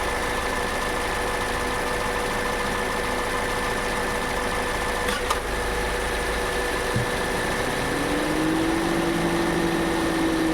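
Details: Toyota Innova Hycross at idle: steady hum, then a sharp tock and low thump as the AC compressor engages, with a rising whine. The noise is new and getting more pronounced over time.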